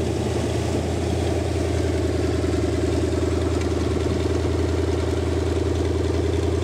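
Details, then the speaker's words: Rebuilt Lincoln 368 Y-Block V8 on a run stand, not yet at operating temperature, 70 psi oil pressure, just above 1000 rpm: steady smooth low rumble with no knocks or misses; engine healthy. "so so she's running great and we'll take a look at the gauges here"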